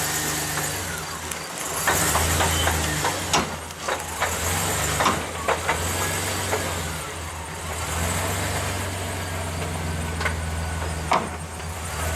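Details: Low idle of a manual-transmission truck with a few sharp, irregular clunks as it backs up using clutch and brakes, lug nuts left loose to free a stuck wheel; the clunking shows the wheel has broken loose on the hub.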